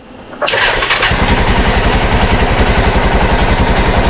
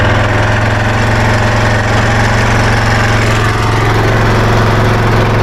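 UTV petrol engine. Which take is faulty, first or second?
second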